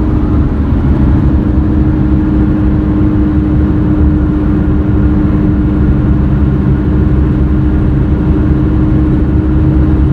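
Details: Car roaring/helicopter noise while cruising through right and left turns, loud on left turns; front wheel bearings replaced (left driver's side suspected) but constant low droning roar persists, so tires suspected; defective tire causing roar.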